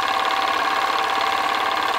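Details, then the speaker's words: PM Research Solar Stirling engine #7 driving a model Baker fan under load: fast, even chuffing with a steady light whir and no knocks or rattles. Runs healthy. "i honestly god how good does that sound for us down the engine just working away under load"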